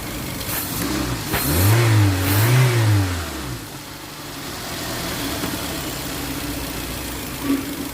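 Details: Toyota Avanza 1.5 G that had a crank-no-start fault with codes P1604 startability malfunction and U0167: engine blips up smoothly twice, then settles to a steady, even idle with no misses or knocks; normal.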